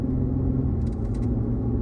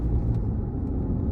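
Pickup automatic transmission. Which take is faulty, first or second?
second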